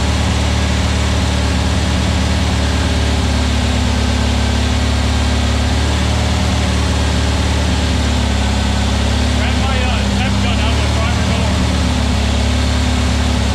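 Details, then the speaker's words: New VW Beetle 1679cc single-port flat-four, Scat C25 cam, dual Empi ICT carbs, first fire-up during 20-minute cam break-in: loud steady fast idle, deep even drone, no knocks or misses; timing spot on, no oil drips, carbs need tuning; normal running. "20 minute is done. Didn't drip a drop."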